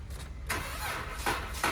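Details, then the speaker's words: 2013 Dodge Charger with the 3.6 Pentastar, overheating complaint, started during a coolant combustion-gas test: a few uneven cranking bursts before it barely catches; hard start, battery suspected as questionable. "she didn't want to start there that battery is a little questionable"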